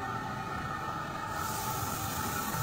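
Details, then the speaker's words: Sandblasting cabinet fed from a shop air line believed over 100 psi, versus usual 30–40 psi: steady rumble then sharp airy hiss; excess pressure suspected to cause the hissing and dust leaking around the cabinet. "so that's one reason why you can hear it you can hear kind of hissing yeah hissing because of the pressure is just a little too high"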